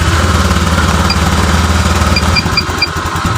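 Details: Honda Vario 125 (old) after repair of stumbling, flashing fuel indicator and overheating, ECU reset: steady even idle with a short rev and light beeps near the end; runs stable and smooth.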